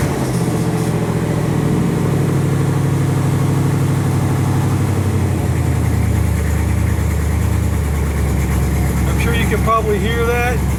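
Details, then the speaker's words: 1967 Chevrolet Impala V8 idling with headers and mufflers removed, open exhaust; loud, deep, even burble at steady idle with no misses or knocks, engine running healthy. "bringing it out here so you can hear everything that's what your car sounds like without the headers or Mufflers on it"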